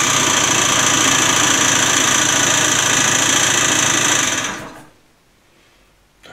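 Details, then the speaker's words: Peugeot Elyseo 50 scooter started after fitting a new cylinder: harsh, fast, even rattle about four beats a second over the engine until it cuts out; owner suspects bearing failure, engine teardown likely. "hört sich nicht gut an. Ich befürchte, dass der Motor auseinander darf. Ja, das hört sich ganz nach einem Lagerschaden an."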